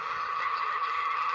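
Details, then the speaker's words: Swiss 1967 Fi-Cord 300-series pocket reel-to-reel dictation recorder on AA batteries, playing a test-recorded side: steady high even hum, the drive motor audible in the recording; cause suspected, not confirmed. "a bunch of tests on and you can hear the motor running in there and that's one of the things that i wanted to talk about"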